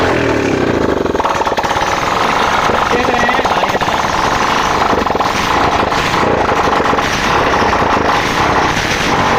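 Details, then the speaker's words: BS6 fuel-injected motorcycle converted to carburetor (BS4) with oscillator wire replaced: lights off the self-starter and holds a busy, steady idle without stumbling; starting problem fixed. "गाड़ी perfect starting problem दूर हो चुकी है।"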